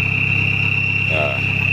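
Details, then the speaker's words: Isuzu Panther pickup turbo diesel after engine repair, injection pump timing restored to standard, listened from the rear: clear steady high chirping turbo whistle over low engine hum; turbo spooling normally. "jadi kita lihat ke belakang untuk suara turbonya udah jangkrik udah keras ya Lur bunyi [Musik] jangkriknya"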